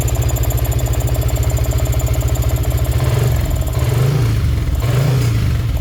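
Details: Yamaha Karisma with swapped Yamaha R15 V3 engine, after rocker arm repair and valve clearance reset to standard, fixing sewing-machine noise: even, steady single-cylinder idle with light blips, no top-end ticking; normal idle.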